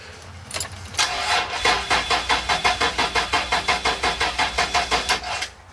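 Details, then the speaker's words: 1994 Toyota 4Runner 3.4L 5VZ-FE, first start after wiring and gas tank install, fuel pump heard priming: starter cranks at a steady four to five compressions per second for about four seconds but never catches; low fuel suspected, more gas to be added. "I don't know needs more gas I'll rig up a fuel neck for her and see if uh put more gas in her"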